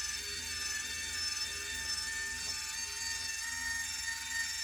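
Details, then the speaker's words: Whirlpool water softener in a basement; a steady high whirring hum that never pauses. The control motor keeps spinning nonstop because the position switch isn't sensing the cam's stop signal. "so what's happening is the switch isn't detecting the stop the signal or sensing a signal to stop so it's just spinning"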